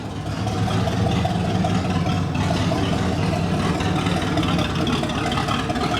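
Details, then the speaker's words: 1979 Chevrolet Camaro 305 V8, barn find, idling with the factory exhaust completely removed: loud, raw rumble with harsh open crackle, nothing muffling it, fumes noticeable; running with no exhaust fitted. "Now we got to see what it sounds like with absolutely no exhaust at all. That is scandalous 305 activities right there. So loud."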